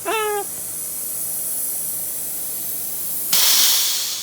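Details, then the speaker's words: V8 cylinder 8 (40 psi static compression) fed about 50 psi shop air via compression-test fitting; loud steady hiss as air escapes into coolant jacket. Blown stock head gasket, pushed out at cylinder 8; fixed with old 6.0 head gasket. "all right so check this out I got the one of my old compression test their heads and cylinder number 8 that has 40 pounds of static compression and I hooked it up to my high compressor which only has about 50 pounds in it and when I hook it up listen to this here this here that all going into the cooling jacket boys"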